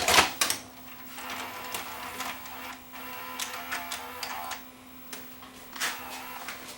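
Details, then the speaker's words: Sony SLV585 VCR after full mechanism teardown and repair of tape-eating fault: soft clicks and whirs as tape threads, then steady quiet play hum; mechanism healthy. Normal tape load and play. "and of course it does and unlike before when I put it into reverse search it's not going to eat my tape now because we fixed the problem that this machine had"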